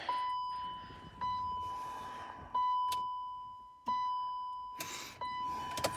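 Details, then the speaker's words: 2003 BMW X5 3.0L with new starter and new battery: dash lights on, single sharp click at each key turn to run, no cranking; click, no crank, cause unknown. "so when I turn it on I get all the lights but when I go into ignition mode or run mode it's just when I turn it to turn the key on to run I just get it click"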